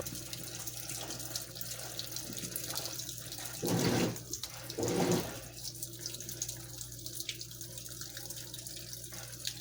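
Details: Washing machine on Heavy Duty cycle with all options, initial stain treatment with unusually little water; steady low pump hum under splashing, gurgling water with two louder surges. Recirculation pump struggling from low water level.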